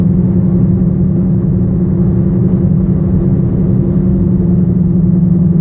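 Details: 2007 Chevrolet Aveo, 85,000 miles, brought in for engine misfire: constant low droning rumble with growly undertone during steady driving, a bad wheel bearing.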